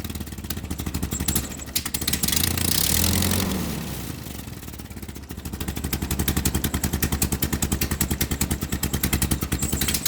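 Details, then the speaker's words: Ford 9N tractor with an aftermarket three-arm replacement governor, revved manually: revs climb and fall, then settle into a fast, steady pulse instead of slow idle; owner suspects the governor's internal shaft; high idle, not returning to idle. "so even with revving the engine manually and pretty high it does not govern all the way back to idle it only governs from this position to about that position"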